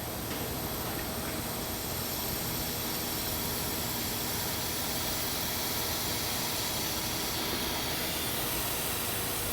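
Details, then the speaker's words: 2005 Duramax LLY pre-tune inspection, engine off, boost tester feeding shop air into the intake: steady loud hiss of escaping air, a significant boost leak in the charge system. "we have a pretty significant boost leak and you can hear it"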